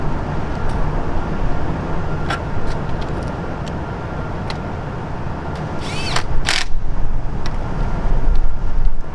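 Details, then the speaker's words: Toyota 8 Series with a 4Y engine at idle after a tune-up with new distributor cap, rotor, wires and plugs to cure a misfire; a smooth, even low rumble with no stumbles, now idling cleanly. "that sounds a whole lot better okay youtube"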